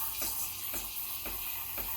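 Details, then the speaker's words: Breville Barista Express BES870 steam wand with tip near the milk surface: steady high hiss with soft sputtering pulses about twice a second, the normal sound of air being injected into spinning milk. "can hear it hissing that's the noise you want to be hearing hissing means you're rejecting it spinning in a circle"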